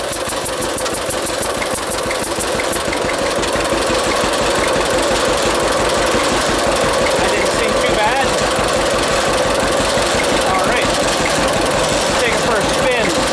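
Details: John Deere AR tractor after clutch adjustment, backing up a hill under load; steady, even two-cylinder putt at about three beats a second, no knocks or misses; normal engine under load, sounds healthy.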